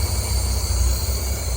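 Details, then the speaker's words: Idle of a 1962 Jaguar Mark 2 off the road nearly a decade, fluids checked, throttle worked manually because the gas pedal is off, aiming for about 1,000 rpm. Deep, steady low rumble with an even beat, no knocks or misses; sounds healthy. "It should be around 1,000 RPM. That engine actually sounds healthy."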